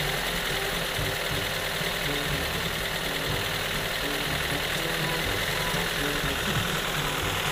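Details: Toyota Corolla carburetor problem, no idle; rough uneven idle with irregular stumbling pulses and wavering low rumble; unstable idle.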